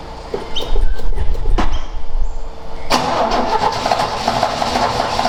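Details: Ford XA Falcon long parked outside, choke not hooked up, float bowl refilled. Long starter cranking with uneven chugging that never catches cleanly. Owner suspects it loses spark as soon as it starts; unconfirmed.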